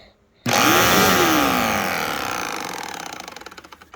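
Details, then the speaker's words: New old-stock 2007 Bissell PowerForce vacuum (3525-2), first switch-on out of the box: whines up sharply, then winds down with a growing wobbling throb as it coasts; brush roll seems off balance, possibly from packaging or the bearings. "Okay, I'm kind of confused as to why is the brush roll like off balance out of the box? That seems kind of weird."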